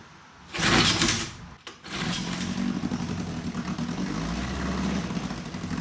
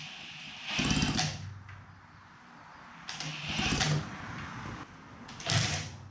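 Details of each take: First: 1954 Johnson Seahorse 3hp two-cylinder two-stroke outboard in water, no neutral, mixture leaned, a little choke, fuel turned on: a quick pull, a sharp burst, then a steady buzzing run with hot water coming from the exhaust, running healthily. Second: 1954 Johnson Seahorse 3hp two-cylinder two-stroke outboard, long unused; five pull-cord cranks, each a short whir dying away without firing; no spark, points ignition suspected rusted under flywheel.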